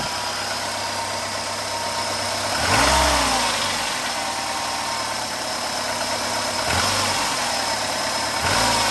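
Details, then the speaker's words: 2008 Renault Logan 1.6 8-valve at 144,000 km, cold, with timing belt rollers replaced and valves adjusted. Idle with throttle blips and a faint metallic tapping on the hum, which the owner says follows rev changes. A metallic engine knock, source unconfirmed. "Звук металла. Именно когда газую, либо когда еду, при движении двигаюсь, останавливаюсь."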